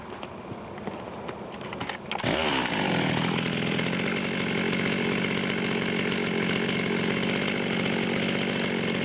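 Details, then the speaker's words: Ported Stihl 200T chainsaw at hot idle then wide-open throttle (about 13,800 rpm): snaps to full revs with a high scream and uneven burbling break-up; still missing (four-stroking) at wide-open throttle. "you can still hear the Miss at hot idle with the wide open throttle um we're going to give it a little test run"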